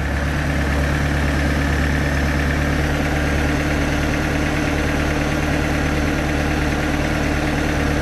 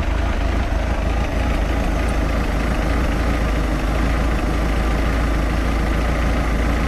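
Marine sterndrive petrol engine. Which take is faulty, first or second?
second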